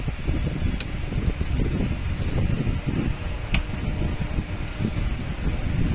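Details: Table fan (BTC fan) brought in dead: steady, low whir with even hum, no rattle or knock; motor runs smoothly and healthily after rejoining a wire, dead condition caused by a detached switch.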